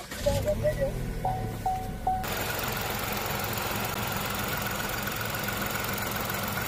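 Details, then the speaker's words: Chevrolet The Next Spark M400 three-cylinder, after replacing intake and exhaust camshaft position actuator solenoid valves for power-loss warning, shaking and misfire. Brief start then steady, even idle, no stumble, shake or misfire: normal idle, roughness and power loss gone. "캠샤프트 포지션 액츄에이터 밸브 교환 후 엔진 부조와 출력 부족 향상은 없어졌습니다"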